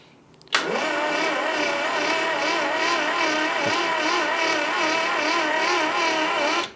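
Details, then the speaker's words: Barn-find Mini Cooper, parked for years: starter drags engine over slowly and evenly for about six seconds with no firing; cranking too slow and no spark. "Yeah. Not spinning over particularly fast. No, but no sparks. No spark."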